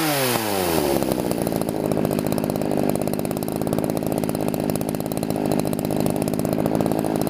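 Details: Chainsaw at wide open throttle during carburetor tuning, set too rich deliberately: loud, slightly rough, burbling note instead of a crisp scream; over-rich high-speed mixture.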